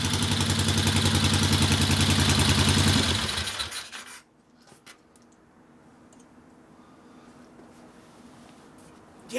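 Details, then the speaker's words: 1964 Harley XL 900 Ironhead Sportster, custom distributor suspected but not confirmed: uneven hollow popping beat about three and a half per second, then dies away; one cylinder's exhaust stays cool, not firing. "i can hear [ __ ] not running on one cellar you could get up the bl noise that means it's not running for crap so that's that popping"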